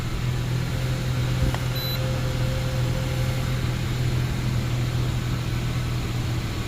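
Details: 2012 Honda CR-V 2.4L after an intake leak repair fixed a lean code, codes cleared: an even, steady low hum with no hiss, surging or hunting. Normal idle.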